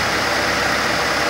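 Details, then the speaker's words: Fiat Palio with a Fire engine idling with the A/C on: a steady, even hum as the compressor runs smoothly, and the clutch soon disengages. This cycling at idle is normal. "você vai perceber que daqui a pouco a embreagem vai desarmar e vai parar isso é normal tá"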